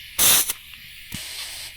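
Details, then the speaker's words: Blow-off valve pressurized with compressed air on the bench: two sharp bursts of air hiss, the second longer and softer. The diaphragm valve holds pressure; the air escapes at the hose coupler, not the valve. "And it get that stop leaking. It's leaking, but it's leaking from this my um coupler thing here."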